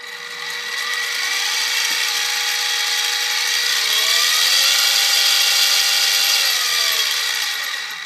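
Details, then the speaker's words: SIEG X2D gear-head mill, mounted low near the camera: a loud, steady gear whine with busy high-pitched chatter rising at spin-up and falling away at stop, normal noise from the head gears, much louder than the belt-drive mill. "So you can hear there's a fair amount of noise, and if I try to talk over it, you can get some sense that it's actually pretty loud."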